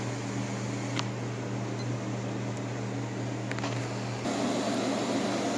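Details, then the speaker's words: 1958 Carrier 4,500 BTU window air conditioner on fan only, shaded-pole motor drawing about 2–2.85 A, around 221 W: steady, even fan hum with a low motor drone and no rattles or scraping; blower running normally. "I'm drawing around uh two amps on a fan 2.85 getting around 221 Watts"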